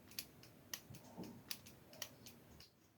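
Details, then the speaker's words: 12 V 40 A automotive relay energized across coil pins 1 and 2 in a quiet room: crisp, sharp clicks each time the coil is powered and released; the relay is switching normally. "and what that is doing is making is connecting those two together so those two one and two pull electromagnet together which makes a more powerful switch"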